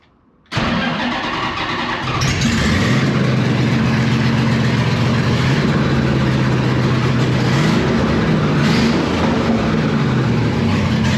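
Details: 1970 Dodge Super Bee with a Gen 3 Hemi, Holley Hi-Ram EFI and TR6060 swap, first start in 25 years in neutral: quick crank catches at once, then a loud, even V8 idle with a couple of blips; starts and runs cleanly.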